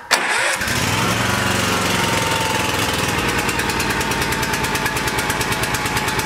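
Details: Kawasaki engine on a Cub Cadet riding mower catches, then runs heavy, lumpy and stumbling before settling into a rich, labouring idle; rough running caused by a stuck choke, shown before the fix.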